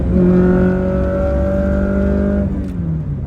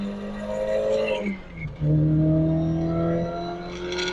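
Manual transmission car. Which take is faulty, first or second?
second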